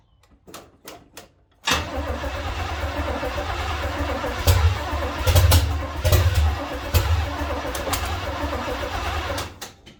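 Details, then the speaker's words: 1970 Chevy C10 small-block, fuel poured into carburetor bowl to adjust timing: a few clicks, then long uneven crank that never catches; owner thinks it flooded. "I think I flooded it"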